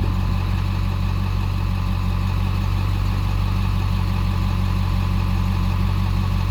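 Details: Ford 7.3L diesel with E4OD transmission idling with misfire while code P1748 is not present; slightly uneven, loping beat of about 3–4 pulses a second.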